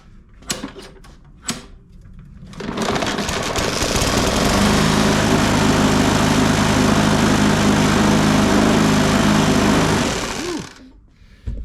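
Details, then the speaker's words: Bolens 21-inch push mower, Briggs & Stratton 500E, after fuel system cleaning, oil change, new air filter: loud steady running with rough shudder about four times a second from a very unbalanced blade. "yeah that blade you see that thing dancing around like that that vibration that's a very unbalanced blade"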